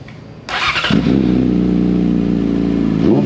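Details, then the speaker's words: 2014 Yamaha R6 after unrestricted ECU flash: inline-four snaps up quickly on the throttle then holds a steady, even note with no stumble or hesitation; throttle response and running much improved. "all right guys take a closer and how much better the bike just responds to the throttle and how much better it runs now that we got the flash"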